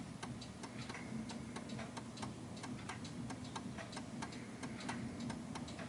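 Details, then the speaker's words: 1930s Enfield oak-case 8-day striking mantel clock before beat adjustment. Steady ticking at roughly two beats a second with uneven spacing, more tick than tock. The clock is out of beat and soon stops. "So you can hear there's more tick than tock."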